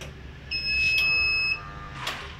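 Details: Very cheap big 1.0 kW inverter (test no. 11, large casing, small PCB) trying to start a 1/2 hp motor pump: single high beep about one second in a quiet room; overload alarm, failed start.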